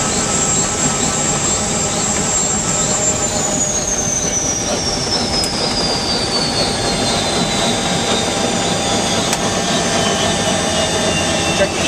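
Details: UH-1 Huey turbine engine after rebuild: steady turbine roar with a high whine easing down in pitch, no surging or rough beats; running evenly.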